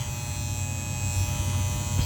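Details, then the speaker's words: Goodman air conditioner not cooling, water found in basement, with replacement turbo capacitor: loud steady, unchanging electrical buzz from the condenser control section; the contactor is buzzing and should be replaced. "And you guys hear that buzzing sound? That is not a lawnmower. [Music] That buzzing sound is this conttor."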